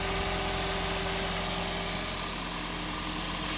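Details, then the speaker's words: Hybrid car started by pressing throttle, owner had complained of crackling and plugs unchanged two or three years; smooth steady idle, even low thrum, no misfire, crackle or tapping; sounds lovely and healthy. "we'll need to press the throttle with it being a hybrid to make it fire up so we'll have a listen seems sweet is it not to me don't know what that sounds like on camera that sounds lovely"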